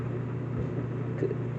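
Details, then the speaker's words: Whirlpool Duet steam electric dryer WED9500TW on the Normal cycle with a load of colors: low, even drum rumble with a soft motor hum and no knocks or squeals. Owner says it is quiet and has had no issues; tumbling normally. "Also, once you start, and also this dryer is pretty quiet. Yeah, so it's pretty quiet. It's not too loud, I should say."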